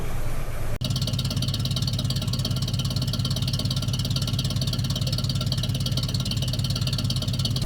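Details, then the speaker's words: 1932 Nash 990 Series with twin ignition (16 spark plugs, dual-point distributor, two coils), after a tune-up with new points: old straight engine ticks over evenly and steadily at low speed, running much smoother than before. "i think it's running a lot smoother than it was oh yeah"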